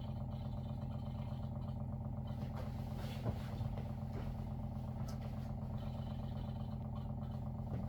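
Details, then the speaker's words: WaterFirst Dr.Water Y countertop 5-stage reverse osmosis purifier, new, first-time setup, filtering with bubbles before automatic flush: even low droning hum with regular fine pulse, no knocking or grinding; normal running. "It says it's working. Right there. Sure, sounds like it's working."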